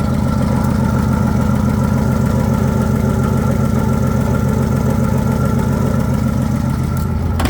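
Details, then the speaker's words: 1966 Ford F100 that sat for years, just revived with new points, condenser, plugs, wires, cap, rotor and oil, allegedly with a bad cylinder; before a compression test, a loud lumpy idle with uneven pulses suggests a weak, low-compression cylinder. "Sounds like it has a bad cylinder."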